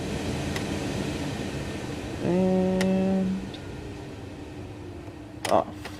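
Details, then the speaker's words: 2002 Chevy Trailblazer EXT LT rear AC blower after replacing the rear blower motor resistor: steady even rush of air with no grinding, ticking or wobble; blower running normally for the first time in a long time. "that blower is on for the first time in a long time I'm so excited"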